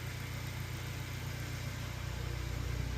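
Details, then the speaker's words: 2018 Honda Accord 1.5 after replacing faulty cylinder 4 fuel injector that caused idle misfire: steady even exhaust tone at idle, no skips or pops, no misfires on any cylinder. "Sounds good out the exhaust. Nice and even tone. Whereas before it was skipping and popping and doing all kinds of stuff."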